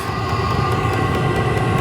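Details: Cabin heater warming up, glow plug on then switching off, drawing 114–116 W: loud steady jet-like roar with faint regular fuel-pump ticking, even and unbroken; burning properly.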